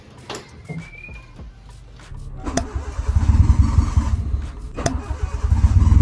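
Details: Honda Civic EK hatch, first start after an engine rebuild, 3 months off, fifth attempt: cranking, a catch, then a loud lumpy idle with uneven pulses; runs, but idle not yet set right.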